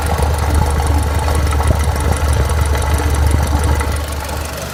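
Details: Renault Clio 3 1.4 16V engine running evenly with a rough, fairly fast knock of about three per second over the low note; engine knocking, cause unknown.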